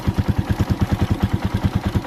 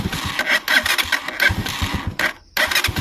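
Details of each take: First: Motorcycle idling warm after idle raised slightly to stop stalling: steady, even putter with no misses or knocks; normal idle, engine and chamber warmed up. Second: Motorcycle restarted with idle screw set too low: uneven popping that stumbles and nearly dies before catching, hard restart; idle too low makes it stall, fixed by blipping throttle and raising idle slightly.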